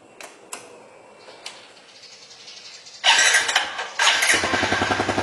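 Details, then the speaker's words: Yamaha Jupiter Z1 (type 2SU/1DY) after cleaning the fuel pump and replacing the fuel filter: a few quiet clicks, then the engine fires and idles with an even, steady patter; starts and runs cleanly, no problems, smooth throttle response. "Jadi ini perputaran mesinnya sudah sangat mantul, nggak ada kendala sama sekali. Digas-gas pun mantul."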